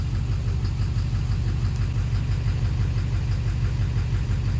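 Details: 2009 Chevrolet Duramax LMM dually diesel at morning cold start, cylinders disabled one by one: steady idle with an even knock about two a second over the clatter, knock remains with each cylinder cut; injector versus cracked flexplate suspected, first thought an exhaust leak.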